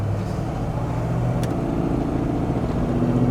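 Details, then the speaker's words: 1984 Jeep Grand Wagoneer Limited 4x4 accelerating on road toward about 55 mph: strong, even engine pull climbing smoothly with a clean shift midway; healthy engine and transmission. "said, car runs well. Engine's healthy, transmission. Here at shift right now. Sounds awesome."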